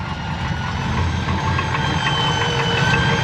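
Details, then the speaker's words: Edelbrock 1411 750cfm electric-choke carb just swapped onto a 454 big block in a square-body Chevy dually, choke not hooked up; deep uneven loping V8 idle, idle changes when hand covers carb top; owner suspects a vacuum leak somewhere, not found. "if i put my hand over the top of the car idle goes i got up leak still got a leak somewhere but it is running"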